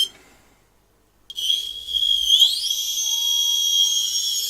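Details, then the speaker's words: Holmes Hobbies Revolver 1400kV brushless outrunner on Castle Sidewinder 4, hand-held test before fitting to MC8 8x8 truck, no load: high clean whine climbing as it spins up, then steady; not much louder than a brushed motor. "really, it's not staggeringly loud. It's got a high-pitched noise, but it's not. I don't think that's much louder than a brush motor going at it."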